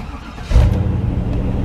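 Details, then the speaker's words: 1996 Chevy Tahoe V8 after starter replacement: a short crank, then it catches straight away and settles to a deep, even idle with no drag or hesitation; a healthy start. "yes indeed he sounds good to me no hesitation no slowing down"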